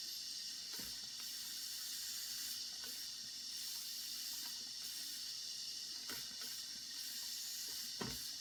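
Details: Circa 1946 Watt Victor electric-heated toy steam engine during repair, heating to build pressure: steady soft hiss with sharp spits as steam escapes.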